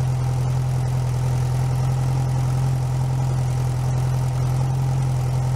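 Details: Rebuilt 1641 VW Type 1 air-cooled flat-four, bench-started outside the car, first run: smooth, even low drone with a steady idle beat and no knocks or misses; normal idle.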